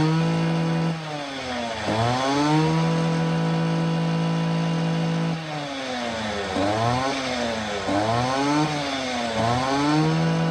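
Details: Stihl FS 80R/FS 85 bike-handle trimmer after crankcase reseal with two new crank seals, vacuum/pressure tested, carb and impulse gasket refitted; clean two-stroke note holds steady, rises and falls smoothly through repeated throttle blips with no stumble, running healthy.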